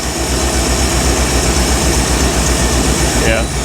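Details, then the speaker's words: 1975 Bricklin SV-1 V8 with the idle raised after a suspected dirty carburetor: an uneven loping idle with a stumble every few beats; no spark is suspected. Engine misfire, dead cylinder. "so we just got a Miss we got to kind of diagnose and see if it's maybe uh got no spark par or what well let's play with it runs better but does still have a bit of a Miss"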